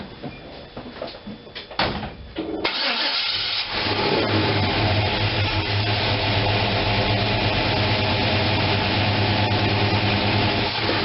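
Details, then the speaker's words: After gas tank install and opening the manual choke that had been left closed, the engine catches after cranking and settles into a steady, even idle at 700 rpm with no hunting or missing. "it's idling at 700."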